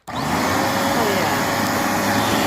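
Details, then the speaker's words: Bissell PowerBrush Pet carpet shampooer after new belt and cleaning melted plastic from housing: starts cleanly into a steady even whoosh of motor and airflow, earlier ticking and grinding gone; running normally. "nice and quiet I mean obviously it's making vacuum noises it's making vacuum noises but the ticking that weird grinding noise that it was making is gone"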